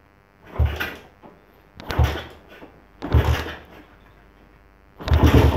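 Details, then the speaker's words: Suzuki Satria FU (Thai model) carbureted single, unridden over a week, cold kick start in neutral with a weakening battery: four kicks a second apart, each a dull thump with brief sputter, engine not yet caught; normal cold start. "Ini udah netral. Coba kita engkol ya. Ini belum saya panasin teman-teman, udah seminggu lebih ya."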